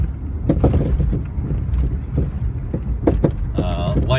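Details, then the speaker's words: 1972-era Jaguar XJ SWB driving over road: irregular dull clunks and rattles on bumps; owner suspects worn shock bushings, possibly shocks, though suspension is otherwise good; cause unconfirmed. "you can hear there's a couple rattles I anticipate that that is pride due to the Warren shock bushings but overall the suspension is really good"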